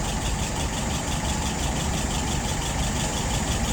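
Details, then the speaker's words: 1948 flathead test engine with a restored WO 636SA carburetor (bowl replaced for a blockage or crack): smooth, even low idle around 640 rpm with a steady beat and no misses or knocks, about to be raised slightly. "All right, right now she's idling at about 640. I think I'm going to go ahead and turn that up just a little bit."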